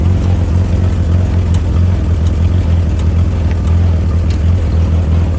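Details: Newly acquired Willys flat fender Jeep idling: heavy, steady low drone with faint, scattered light taps on top; a weird noise whose source is still being traced.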